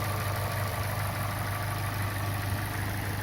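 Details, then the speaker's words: Opel Corsa OPC 1.6 Turbo, 192 hp, after a block rebore to repair size with forged pistons and rods and new rings; it previously had cold piston knock. Smooth, even idle with no piston knock; normal. "Ну что собрал я двигатель завел послушать как он работает четко поршня не стучат"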